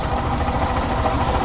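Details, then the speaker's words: Suzuki Burgman 125 scooter at 78,000 km before engine rebuild; heavy lumpy low thudding at idle with an uneven beat, sounding like a truck or tractor; worn engine knocking rough at tickover. "एकदम truck चालतो तसा वाटतो tractor"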